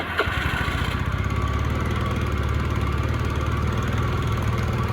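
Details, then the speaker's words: Honda Scoopy carburetor scooter after enlarging the vacuum needle hole: flat, low chugging that never picks up; still bogs, later traced to a sheared flywheel key upsetting ignition timing. "Dan tetap saja hasilnya sama-sama saja, masih ngempos juga."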